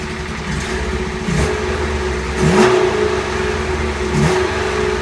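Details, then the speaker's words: Honda S600 engine after rebuild, idling with three throttle blips: it pulls up a bit unevenly and settles rough. The owner says the carbs need synchronising. The water pump housing has a pinhole leak. "I just wanted to make sure the carbies were working right. They are. It just sounds like they need sinking a bit."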